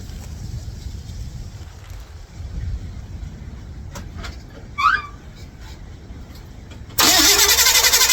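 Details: 1955 Chevrolet Bel Air with ignition, electrical and fuel-delivery problems (ignition bypassed to start): fast steady crank at about four beats a second that never catches; not getting gas to the carburetor, switch fine. Crank no start from fuel starvation.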